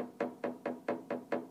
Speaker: can hear that knocking okay that means the glide bolt isn't in contact with the key bed